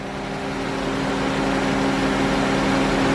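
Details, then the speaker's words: 2009 GM truck with 5.3 LS V8 on genuine first startup after a broken camshaft locator pin repair: steady, even idle with smooth low hum and faint whirr on top, no knock or tick; runs good, sounds healthy. "so yeah this is actually not a lie that was first start up on that first one and it runs good"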